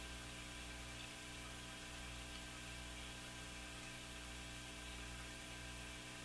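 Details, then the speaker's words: Crosley Model F-5 tube radio during IF alignment at 455 kHz after fixing a miswired 22k resistor causing hum: steady low hum with faint buzzy motor-like drone as the set is overdriven by the signal generator. "Just listening to that sound. I don't know what that is. Sounds like a motor starting up. Sound like my furnace fan, but oh, you know what? It's being blasted by this signal generator."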